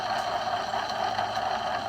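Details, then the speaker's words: Removed driveshaft carrier bearing from a 2WD 2004 Chevy 2500HD, spun by hand: steady dry whirring rush with faint ringing; worn bearing, assembly separating, caused wind-gust/growling noise driving; being replaced. "some bearings don't sound good but worse than that look at that the bearing assembly is like it's separating on itself"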